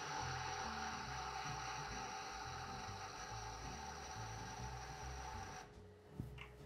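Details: Eversys espresso machine grinder during double espresso powder test calibration: even whirring hum with thin high whine runs steadily about five seconds, then stops cleanly; grinder sounds healthy.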